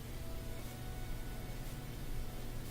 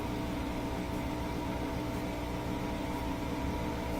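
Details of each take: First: Bosch Axis washing machine in diagnostic test, dual cold water pre-wash fill valve energized: low steady electrical hum with only a faint trickle of water; valve barely opening, suspected faulty and to be replaced. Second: Bosch Axxis washing machine with manual spin set to 1,000 rpm: a smooth, even high-speed whir with a faint tick after balancing rotations. Spin works manually, so drain, motor, belt and motor control are fine; the timer portion is suspected of preventing spin during cycles.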